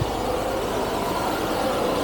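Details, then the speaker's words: Carbureted 1975 Jaguar XJ12 V12, no power: rough, lumpy idle with an uneven, hollow exhaust note; one bank shows no smoke and is dead, and owner suspects stuck carb floats leaving the float chambers without fuel. "This whole bank is not running. You notice that by the smoke as well. So, nothing is doing anything on this side,"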